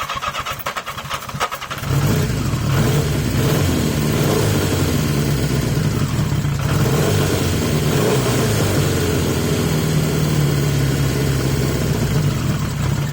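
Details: 1980 Yamaha XJ650 four-cylinder, airbox refitted in place of the pods and the filter found filthy. Settles after a rough start into a fast, fairly steady idle that sits too high. Idle is better but still not right.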